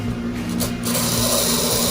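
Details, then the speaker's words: Aurora ice cream truck model chassis motor run during restoration; steady high-pitched buzz with rough, scratchy edge, motor is dry and needs to be disassembled, cleaned and oiled. "yeah you can hear how dry it is"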